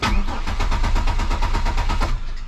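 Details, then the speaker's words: 1999 Chevrolet Malibu that has sat a long time, probably on stale fuel: a long steady starter crank with even compression pulses before it fires and holds rpm; an extended crank before start, cause not confirmed. "cranking over at least we got ignition started whoo all right holding rpms"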